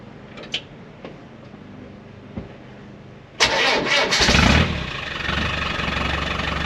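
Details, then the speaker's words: Land Rover diesel pickup with newly finished stainless exhaust and the same cherry bomb muffler it has had for 6-7 years: it cranks, catches and settles into an even rumbling idle, no blowing or rattling. Normal idle exhaust note. "Sounds alright to me. Sounds like it always used to, actually."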